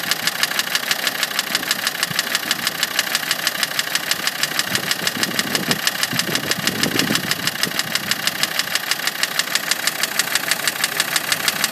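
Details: Land Rover Td5 diesel at idle with an even, fast knocking tick of about three per second that holds steady; the owner is asking what causes it and the cause is not yet found.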